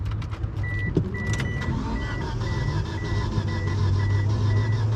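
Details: Mitsubishi Eclipse GSX Spyder that died mid-autocross after blowing blue smoke, cranked with pedal floored: the starter grinds steadily with a chime beeping but the engine never catches; no-start from flooding, injector stuck open.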